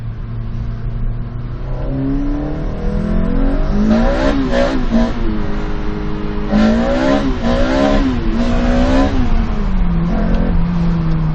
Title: 2zz weird noise at 2500rpm only in high throttle